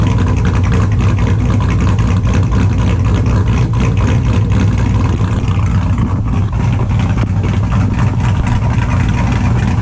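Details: 2002 Chevrolet Silverado with a built LS V8, super cold start after sitting since Friday: extremely loud, deep V8 fires and settles into a steady, slightly lumpy cammed idle with all cylinders pulling evenly; normal cold start and idle.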